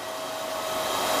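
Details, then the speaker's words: Full-wave pulse battery charger delivering 5 A at 1 kHz pulse setting: steady, even airy whoosh and faint hum from its loud cooling fan masking the pulse tone, no rattle; fan running normally. "ถ้าเราเร่งกระแสสูงสูงจะได้ยินเสียงความถี่นะครับแต่เนื่องจากเสียงพัดลมของตัวเครื่องค่อนข้างจะดังอาจจะไม่ได้ยินเสียงความถี่นะครับ"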